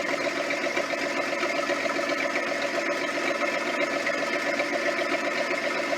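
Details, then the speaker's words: Military Ford tug with 306 V8, first start after new starter fitted; loud raspy uneven idle with harsh crackling roar and visible flame, apparently no exhaust pipe or donut fitted, open exhaust header roar. "Oh, I see flame. Sounds like an open header. Maybe there's no exhaust."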